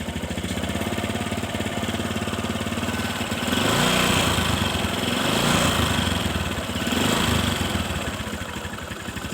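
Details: Honda Supra 125 carburetor motorcycle, warm, oil leaking at the valve cover, with intermittent crackling: revs with a coarse, uneven rattle on the firing pulses, never smooth; points to a damaged piston, and a loose bearing is also suspected.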